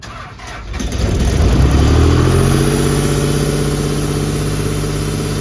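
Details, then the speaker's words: CompAir LeRoi C175 portable air compressor with a 49 hp John Deere diesel: brief crank, then it catches at once and settles into an even, steady idle; a normal start. "John Deere diesel motor. Starts right up. Air works like it should."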